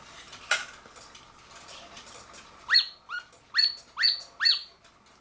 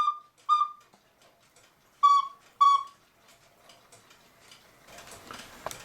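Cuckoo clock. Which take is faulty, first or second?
first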